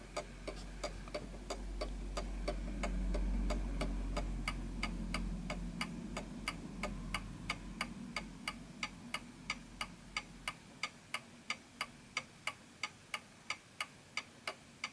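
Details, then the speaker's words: 1920s 8-day Napoleon hat antique mantle clock, pendulum just started after being set on a surface that happens to be level. Crisp, evenly spaced ticks about three per second with no limp: the clock is running in beat. "And notice that it's going very, very well."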